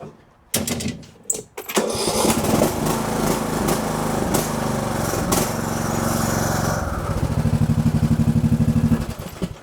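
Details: Briggs & Stratton riding mower engine after replacing the starter (part 593934) for a slow crank, battery tested good: starter whirs briefly, engine catches and settles into a steady, even single-cylinder putter with no misses; normal start and idle.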